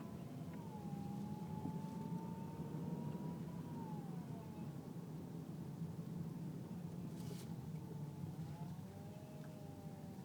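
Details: Power steering whine: faint wavering whine over low engine hum, changing pitch as the wheel is turned; loud when turning at low speed under 10 mph, less at speed; fluid full, no leaks or foam, belt normal; rack and pinion suspected.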